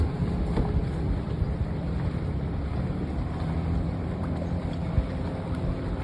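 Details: Restored 1996 Johnson 15 HP outboard, model J15RED0, on a lake test after a stuck thermostat and its gasket were replaced; it was thought to have caused overheating, heat-sensor shutdown and bogging. Steady low drone with no surging or misfire, under wind and water noise. Normal running.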